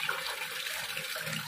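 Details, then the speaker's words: Washing machine showing U4 no-drain error, being tested: steady rushing hiss of water filling the tub with no buzzing or chatter; inlet valve fills normally though the machine cannot drain. "Rồi chúng ta sẽ cho nước vào nè, rồi khởi động nè, thì nước vẫn vào bình thường nha."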